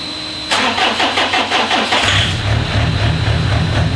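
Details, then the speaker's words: JD diesel project car, ECU connected to a laptop with initial timing values set, engine already warm, extractor running: a few seconds of rhythmic cranking, then it catches and settles into a steady low diesel rumble over a fan; normal start and idle. "I'm at a point now where I'm able to actually turn the key and it should fire up so I thought i' capture that on camera"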